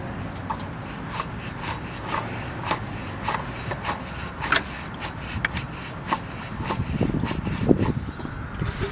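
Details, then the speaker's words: 2002 Mazda Tribute 3.0L at 165,000 miles, engine off, after a coolant loss and stall: the hand-spun water pump pulley gives a dry, gritty rasp with a tick each turn. The belt had come apart and the radiator tank broke; the water pump bearing is bad. "I'll see if I can spin that pulley so you can hear the noise that it makes when it's worn out"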